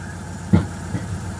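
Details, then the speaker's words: 1996 Ford F-150 idling: a steady idle broken by an occasional sharp pop, sometimes two within a second and a half, an intermittent misfire. "hear it popping every once in a while something ain't right it ain't happy"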